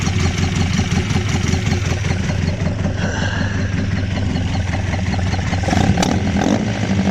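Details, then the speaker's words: Mk1 Ford Escort with new bottom end, first runs, thermostat just opening: low lumpy idle with occasional pops under loud carb clatter; cam well retarded, owner suspects vacuum leak and an arcing spark plug lead; no bottom-end rattle. "but she's a bit lumpy, but the cam is that far retarded or whatever. She is still, she's popping every now and then."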